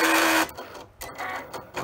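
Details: Cricut cutting machine bought April 2022, suddenly loud during cuts: harsh buzzy grinding on the cutting pass, then quieter carriage moves.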